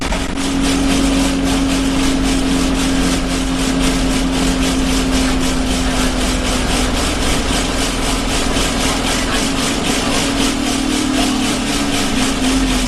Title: Arriva Yorkshire Alexander Dennis Enviro 200 1065 (YJ09 CVD) loud vibration noises